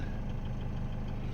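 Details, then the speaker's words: Toyota 1KD diesel ute (Hilux/Prado), tuned, HD clutch, not yet fully warm: light regular tapping at idle, no cold knock; injector number two faulty (injection correction moving out to 5). "Two's got dramas. Interesting. Doesn't cold knock butt, but but at idle. This thing's got dramas. Tap tap tap."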